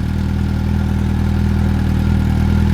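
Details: Suzuki motorcycle just cold started after winter storage, old fuel still in tank, left running to warm up: steady, even low idle with consistent beat and no knocks or rattles; normal idle.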